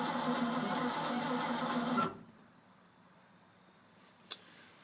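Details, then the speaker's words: Ford F-600 with carburetor after fuel pump replacement and spark plug change, new quiet pump primed: two seconds of steady starter whirring with no firing; cranks but no start, owner suspects no spark, unconfirmed. "so either we're still not getting spark well don't you ever feel pumped right at night"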